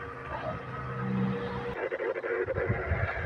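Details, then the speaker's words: Hatari 16-inch wall fan, quiet at speeds 1–3 but loud once oscillation is switched on: fan hum with rough uneven buzzing during the swing; faulty oscillation motor, fixed by replacing it. "เวลาเรากดส่ายเนี่ยพัดลมจะมีเสียงดังนะเพราะฉะนั้นนะเราก็สันนิฐานว่าปัญหาที่เสียงดังนะเกิดจากระบบส่ายนะ"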